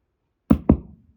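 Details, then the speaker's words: Hotone Nano Legacy Captain Sunset 5W solid-state guitar amp head with a guitar connected, all knobs up and the bridge pickup selected. Two sharp thumps a fifth of a second apart come at switch-on, then silence. The power-on pop is loud; cause suspected, not confirmed. "boom makes a big pop now I've got my guitar in there I've got all the knobs turned up I am on the bridge position pickup"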